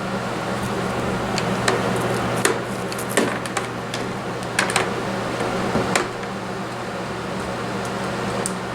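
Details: Vacuum cleaner running after its brush roll was cleaned of hair and a lodged object that had caused funny noises; steady low motor hum with an even drone and only light ticks, now running smoothly and normally.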